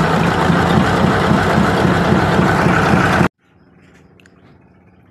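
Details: Mitsubishi diesel engine: a steady clattering knock at about four per second over a rough idle, then the engine cuts off. Incorrect injection-pump timing is suspected. After cleaning, if the knock remains, the pump flange is to be shifted.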